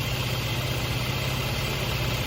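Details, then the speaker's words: Mercedes M276 (2011-2015 E350/C350/ML350/GLK350), warm idle, in limp mode; steady thin high whine over even idle, usually absent when cold, disappears when oil cap removed, pointing to failed external PCV valve housing; idle whine. "So, I know what you're thinking. That sounds awful, doesn't it? Well, I think I figured out what it is. You see when I remove the oil cap like this, it goes away."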